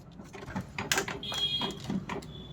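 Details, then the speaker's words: Canon Pixma G2010 printer powering on after E03 error fixed by clearing a paper jam: short whirring and clicking bursts as carriage and rollers cycle, then a brief tone; normal startup, printer ready. "इसको वा देख पा रहे हैं य जो है ready हो चुका है मतलब जो हमारा प्रॉब्लम था वो जो है सॉल्व हो गया है"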